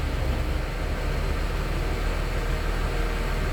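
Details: Mercedes-Benz S280 Airmatic air suspension that would not rise, with warning indicator: steady, even compressor drone with no stutter or knocking; pump now working and raising the car normally, rear rising faster as it is lighter than the front.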